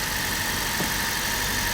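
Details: Car restarted after a flat, voltage-less battery caused a no-crank, with a loose negative terminal tightened; steady, even idle hum with no misses or knocks; normal idle.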